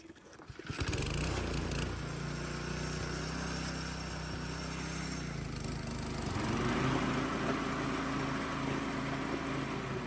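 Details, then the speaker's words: Toro mower after the blade drive belt was tightened two notches: the engine runs steady, then the pitch drops as the blades engage only near the end of the lever travel, which is correct engagement. "If you listen real close, it. The blades don't really kick in until you're right on top of my finger. So, that's what you're looking for."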